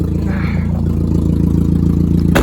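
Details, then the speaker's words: 1999 Mazda NB Miata, revived after sitting 8 years on old gas: loud, deep, steady idle rumble with even beat and no misses, described as goofy, Daffy Duck-like quack. "It's gonna be a nice car for what it is. Sounds so goofy. Sounds like Daffy Duck."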